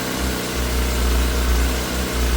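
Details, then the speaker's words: Yamaha YZF R6 just started after fuel pump replacement and long sit, held at low idle to let oil circulate: steady, even burble with no knocks or misses; normal idle. "Just because it hasn't been raining so long, I don't want to go revving it too high or anything. Let that oil get flowing around."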